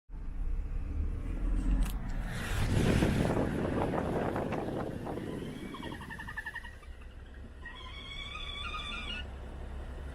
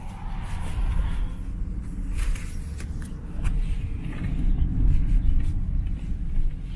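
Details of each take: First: BMW N55 engine idling, noise said to be worse at operating temperature: a wavering hoot-like whistle comes and goes; crankcase pressure leaking past a faulty front or rear crankshaft seal (manufacturing error, SI B11 03 11); both seals to be replaced. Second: BMW N55 after replacing the front and rear crankshaft seals, belt refitted and oil changed, on a test drive pulling away: steady low engine and road rumble with no whistle or hoot; fixed.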